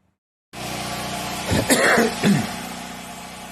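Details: 24-inch ventless dryer, a trade-in the buyer reported as having no power, run on a generator after the cutoff switch checked good: steady low drum hum, even tone, a few brief bumps from handling. Runs normally.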